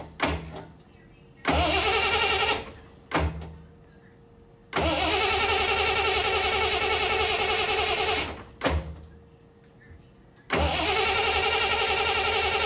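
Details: Early 1974 Triumph TR6 first start after sitting for years, on fuel of unknown age after hearing the pump: several cranking bursts, then it catches at a steady fast idle with oil pressure, before dying; fuel line suspected clogged.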